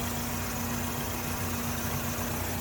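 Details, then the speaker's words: 2008 Chevy Malibu LS, 2.4 liter 4-cylinder Ecotec, hood open: smooth steady idle with even low drone, no ticking or knocking; running good. "Nice little 2.4 liter 4-cylinder Ecotech engine. It's not the fastest thing in the world, but it does get up there."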